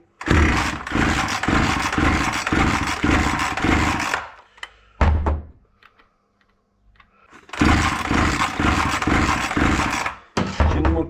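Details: Proyard 450 chainsaw before repair: rough, surging bursts rising and falling unevenly, cutting out and restarting; loose cylinder.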